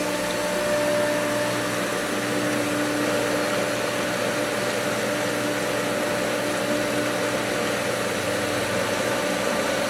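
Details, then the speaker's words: Old pool pump at spring opening, skimmers opened on winterized, air-filled lines: steady motor hum under a wet churning rush with no surging, having caught prime again and moving water. "This old girl still got it. It's churning it out, but it's gonna, there it is."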